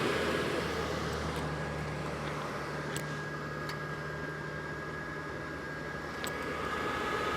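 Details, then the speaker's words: RV propane furnace after a sail switch adjustment: steady blower hum with a low, even burner roar, spinning faster, no cycling or cutting out, with the sail switch holding much better; furnace staying lit and running normally. "Wow. It sounds like it's spinning faster."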